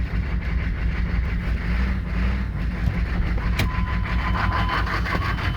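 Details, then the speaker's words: 1990s Chevrolet K3500 1-ton diesel pickup on first rough start at about 50°F, smoky: heavy, uneven loping rattly idle, sounding like a giant cam; the pump driver is missing its fuel calibration resistor, possibly upsetting injection pump fueling. "also listen to how this thing idles it sounds like it has a giant cam in it and it is not supposed to sound like that"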